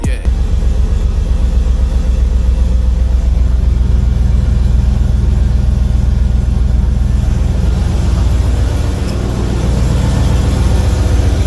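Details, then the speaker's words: 1985 Monte Carlo with a single-turbo 4.8 V8 and 4L80E, being fixed for not making boost: loud idle with a sharp ticking puff on each firing pulse; exhaust leak found, possibly at an unused O2 sensor plug. "leak somewhere. Yeah, there's definitely a leak somewhere. Right down in here."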